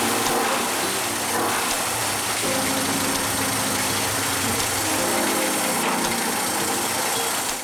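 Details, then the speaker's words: Mercury 30 two-stroke outboard after rebuild for knocking (block rebored oversize, new pistons, crank bearings, seals, water pump), ready for break-in: even steady idle buzz, no knocks or rattles; normal running. "Мотор готов к обкатке, откапитален и обслужены остальные узлы."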